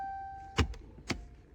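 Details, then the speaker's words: 2016 Jeep Cherokee after replacing the rear pads and rotors, exiting brake service mode: with the park brake switch held, a short steady motor whir ends in two firm clunks as the rear calipers clamp; the electric park brake applies and resets normally. "I'm going to hold it. Running. There, I heard it load up. release it, and then it loads up."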